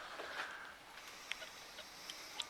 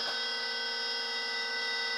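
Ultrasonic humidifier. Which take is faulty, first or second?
second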